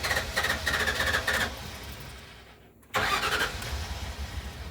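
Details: Amphibious boat car after being sunk in a lake and abandoned for years: engine runs ragged and uneven, fades out and dies, then catches and revs again; fuel pump cutting in and out.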